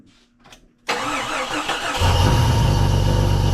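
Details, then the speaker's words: 1990 Jeep Comanche 4.0 inline-six, first start after cylinder head swap; short crank, catches cleanly into even steady idle with no knocks or ticks; earlier coolant leak and popped vacuum line fixed; normal start and idle. "All easy stuff. It's running good. I'm going to keep running it."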